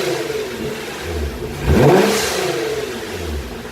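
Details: Nissan GT-R after both left and right dump valves were changed: a quick rev rises and drops, then a sharp airy whoosh as the throttle shuts; the new blow-off valves vent properly.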